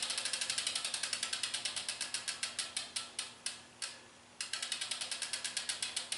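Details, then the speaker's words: Chinese carbon clincher rear wheel spun by hand: crisp freehub ratchet clicks slowing as it coasts down, described as really loud versus a Mavic wheel; normal freehub clicking. "you hear that loud clicking noise with the chinese carbon clinchers that i'm talking about so look at this so that's really loud"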